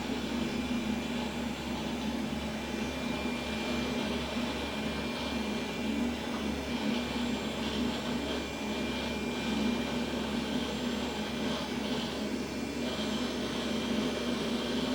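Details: Vintage beige Pentium PC with 220 MB RAM, about 20-plus years old, loading Windows 2000: a steady, loud whirring rush with a low hum and no speed change. The owner suspects worn power-supply and case fans.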